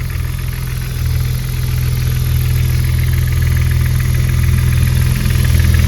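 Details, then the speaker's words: BMW E36 drift car on a cold start: light, fairly even clatter at about three per second over a steady low idle; owner doubts it is the lifters, and the clatter persisted after longer runs during the week; cause unknown. "ça voyz les gars là on entend le claquement si c'était les poussoirs pour moi on les attendrait vraiment beaucoup plus ici comme ça"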